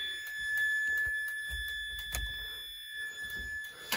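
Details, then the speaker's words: Mazda FD RX7, key on with turn signals working and tail lights just wired: thin steady high buzz with indicator relay ticking; warning buzzer sounding, owner suspects door switches or low coolant. "what is the buzzer why why is there a buzzer does that box have a speaker in it why is it mad at"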